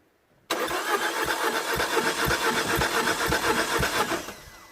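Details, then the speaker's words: Citroën DS3 1.6 VVT (5FS) petrol, crank-no-start after head replacement following a broken oil pump or timing chain: even starter cranking with soft compression pulses, no firing; one cylinder reads only 75 psi and builds slowly, low compression. "okay 75 why I'm pretty much sure this engine should have way more compression than this last one"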